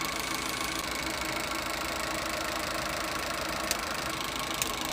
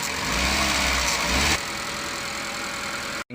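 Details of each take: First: Suzuki Eeco with overheating complaint and radiator leaking, engine running warm with fan cycling: faint uneven tick and sharp clicks cutting on and off, a slight misfire on light revs. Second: Suzuki Eeco brought in for overheating and misfiring, idling after repair with a new radiator while warming toward operating temperature: steady, even idle, the slight miss heard earlier when revving now gone.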